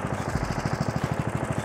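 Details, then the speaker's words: Murray mower with 18 hp Briggs & Stratton engine after carburetor replacement and adjustment, engine cover off, burning off oil: even quick low thumping, smooth with no misses or knocks; normal idle. "all right guys i played with the carburetor a little bit and now she's purring like a kitten"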